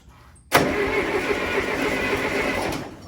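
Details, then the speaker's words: Mid-1960s John Deere 3020 diesel tractor that sat for 5 years, first start attempt. The starter cranks steadily for about three seconds but the engine never fires; there is no exhaust smoke, so no fuel is getting through. Crank, no start, no fuel. "We don't have any fuel cuz we don't have any smoke."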